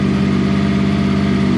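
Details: 6th-gen Honda VFR800 VTEC V4, first start after a valve clearance inspection and reassembly. It starts after two or three cranks, is not revved, and the oil light is out. Smooth, even low hum with no ticks or knocks: a normal idle.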